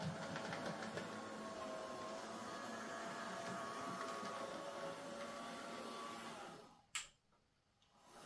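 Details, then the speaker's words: Hornby J15 model locomotive, bought new a couple of years ago, slow and noisy since new; first run before repair: thin steady whirring whine with wavering tones, stops with a click at power-off; noisy motor. "It is a bit noisy though, it's making a sort of a whiny, whirring sound."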